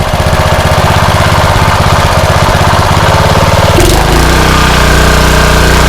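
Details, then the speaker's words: Rebuilt blown Honda GX160 single-cylinder engine, choke off, at full throttle: uneven hunting beat that steadies after about four seconds; still slightly lean suspected, cause not confirmed. "Full throttle. Bad, but still a little lean, I think. That seems to smooth it out."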